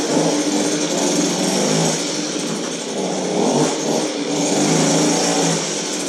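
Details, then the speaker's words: Goped-style folding scooter, small two-stroke, reassembled after repair, started on choke: steady high buzzy drone holding even pitch with slight swells, running cleanly; runs good, normal. "yeah that's one runs good"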